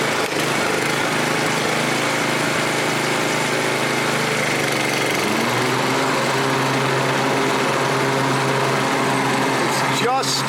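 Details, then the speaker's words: 7-year-old Craftsman 28-inch walk-behind after cable repair, starts right up and runs steady with a faint high whistle squeak and some rattle; owner suspects a belt or something loose, source not found. "It's got a whistle squeak somewhere. Something's rattling or a belt or whatever. Um that's a problem."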